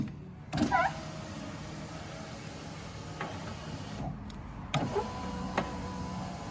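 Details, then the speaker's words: 2012 Chevy Impala power window after its window regulator assembly was replaced under warranty (the old one failed 3000 miles after fitting): smooth, even motor hum as the glass travels, with a soft thump at each end; normal operation, no binding. "it looks good and it sounds good"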